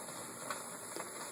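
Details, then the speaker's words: Teac A4010S reel-to-reel deck during tape playback: a quiet, even, waterfall-like hiss in the left channel only. It is absent on source, the right channel is quiet, and it is too low to register on the VU meter; a noisy PNP transistor is suspected. "it's not enough noise to register on the vu meter you go into the source goes away but in tape there's quite a hiss and it's only in the left channel"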